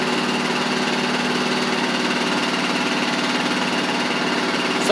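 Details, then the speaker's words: Huskee Supreme riding mower after drive pulley, belts and carburetor replaced: steady even engine drone, drives properly with no knocks, slips or belt squeal; slight residual smoke after sitting three weeks. "really good we've got all that buttoned up now which is good um I don't know why there's a little bit of residual smoke though but is an old mower"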